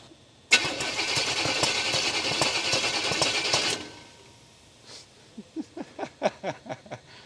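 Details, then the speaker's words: 1951 Chevy 3100 farm truck with a swapped-in 350 crate engine, first start attempts: steady fast cranking, then sharp uneven pops backfiring through the carburetor; timing suspected off, cam feared flat, not confirmed. "Is that backfiring through the carb? Yeah. Cam's flat right out the gate."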